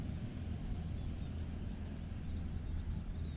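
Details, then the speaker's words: Honda Beat FI ESP (2016–2017) with rough CVT at idle, tested after replacing roller housing, its bushing, rollers and sliders: low, even hum with no belt-drive rattle or grinding, CVT smooth. A slight crankshaft bearing noise is noted. "Suaranya halus, tetapi ada sedikit di sini catatan."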